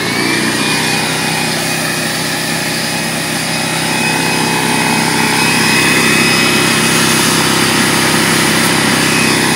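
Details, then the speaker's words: DeWalt 4.5-gallon air compressor, previously a no-start, running after repair (belt and piston good, tank rinsed); steady quick pumping chatter with high motor buzz holding even as pressure builds, running properly. "so I'm gonna go ahead and turn it on and so you can hear it working right here"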